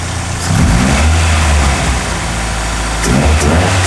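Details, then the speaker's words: B20-swapped Honda EK hatch near operating temperature, waiting for fans to cycle to confirm cooling system bled; smells rich, ignition timing suspected off: steady, smooth idle with mild blips, no knocks or ticks; normal idle. "So it's close to operating temp. I'm just waiting for the fans to cycle to let me know that she's bled out, but it's idling pretty good. It's sounding really good, so I'm stoked."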